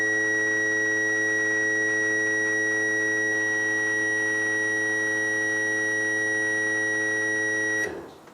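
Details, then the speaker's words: Range Rover petrol fuel pump, possibly previously replaced, powered directly with a power probe: steady electric hum and high whine for about eight seconds, pump runs but never cuts off or builds pressure; wiring polarity suspected. "But it's not getting It's not cutting off. It's not not building up to pressure."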